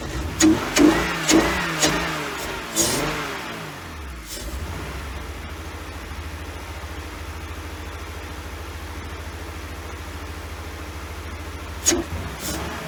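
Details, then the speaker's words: 1999 BMW 328i just after a new fuel pump, battery and air intake hose: catches with a few throttle blips, then a low, lumpy idle close to stalling. It won't idle without gas; the owner suspects a missing cylinder or leftover bad fuel. "there you go it'll start it up it'll run it won't idle uh i got to keep the keep giving it the gas to keep it running so we either got a cylinder missing or we still got a bunch of bad fuel in there"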